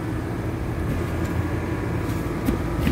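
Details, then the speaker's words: AC condenser running normally and cooling after a burnt wire connection to the compressor was repaired, on a 100-plus degree day; steady deep even hum with no clicks or hesitation. "cooling that's what it was don't let a bad connection CA you to misdiagnosed like I almost did feeling good now"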